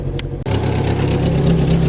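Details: Vauxhall Vectra running after a replacement exhaust flexi section was fitted: harsh low chuffing puff at each firing pulse, louder underneath; exhaust blowing badly at the flexi joint.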